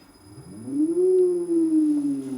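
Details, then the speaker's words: Gen1 Nissan Leaf motor run unloaded from a Leaf inverter via VCU and laptop. Clean whine sweeps up, wavers and barely sags; speed keeps climbing after throttle release. Owner suspects an earthing issue. "we have some degree of control and if i was to push that down a little bit further the motor continues to run even though i've let go of it and it even starts to get slightly faster and if i touch it again it gets faster again and so on"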